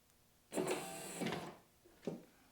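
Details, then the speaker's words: Corvette headlight flip motor on the bench with a bent worm gear: smooth even electric whir about a second, then a short second run, no grinding; motor sounds healthy though unusable due to gear. "Now this is what it's supposed to sound like."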